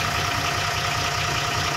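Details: Ashok Leyland BS4 EDC diesel truck that had an accelerator up-down (RPM hunting) problem, after cleaning the rail sensor: it settles into an even, steady idle with regular low pulses and no hunting or surging, and now runs normally.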